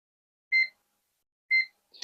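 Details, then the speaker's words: Kaon HDREC VM9130 satellite decoder with reboot fault, multimeter in diode mode on component L1: two short clean beeps then a faint click; all pins read a diode drop, no short or low resistance, component good. "Pero este componente está en buen estado. No nos está presentando un corto o una resistencia baja."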